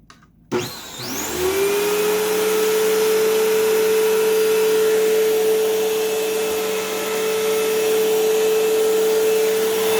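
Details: Dirt Devil Swivel Glide MVP upright vacuum (belt was loose), bag partly full: motor spins up fast to steady high whine, even pitch, no slipping, rattle or grinding; normal running.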